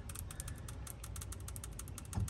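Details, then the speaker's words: 1985 VW Vanagon Westfalia Weekender parked since about 1999; seized fuel injector freed by pulsing it repeatedly with jumper clips, now giving crisp rapid ticking over a faint hum as the solenoid opens and closes freely. "so we got no sounds and then you'll hear it all of a sudden hear it that one's now working that's all it took we just back and forth this a whole bunch you can hear it now"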